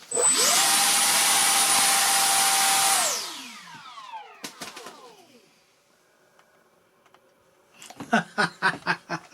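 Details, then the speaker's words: SU27 electric ducted fan jet after a failed maiden flight with lack of thrust; fan run after a fan-blade issue was found. A clean, steady high whine holds at full throttle, then spools down smoothly. It sounds completely different from before: a normal, healthy EDF run. "listen to this because I think it sounds completely different I think it just sounds different I don't know what you think that's a different Beast"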